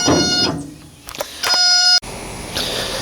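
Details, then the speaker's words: Boat fuel tank on a Yamaha outboard rig that sat unused for years, after the aluminum gas tanks were repaired: the low-fuel alarm beeps in short bright bursts as the float drops to empty. The gauge and alarm work normally. "see if this one goes up and down yep it's measuring fine it's working how it should when I go down so you're going to fall when I go down like that goes to empty perfect"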